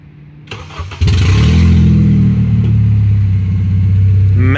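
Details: 2004 Honda CR-V (2nd gen) with stolen catalytic converter, starting up: engine catches and settles into a loud, raw, deep drone that swells on the rev; exhaust open with no converter.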